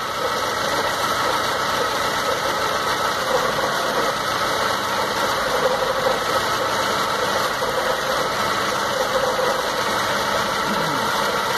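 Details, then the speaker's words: 2006 Stratus 2.0 with misfire, lack of power and shaking, new spark plugs and lab-cleaned injectors: disconnecting the cylinder 3 lead gives audible spark snaps but no change in the rough, uneven engine, so cylinder 3 is suspected; possibly an engine problem. "la chispa como les digo se alcanza a escuchar se perciben los chasquidos"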